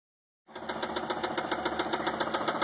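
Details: 2004 Mazda 6 idling with a sharp, regular knock, about eight to nine a second: rod knock, with the car shaking.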